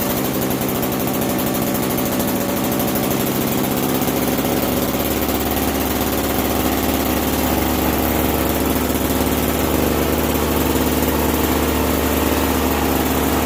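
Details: Bolens 322 snow blower, a curb find, after a carburetor clean and fresh gas: the small single-cylinder engine settles at about four seconds into a steady, even buzzing run. Running fine.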